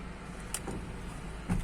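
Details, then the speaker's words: Chevrolet Cruze electric power steering after repair and component replacement, before steering angle sensor programming: turning the wheel gives only low even motor hum, no grinding or knocking; previous noise gone, steering healthy. "não tem nenhum barulho e agora vou fazer a programação é um sensor de ângulo"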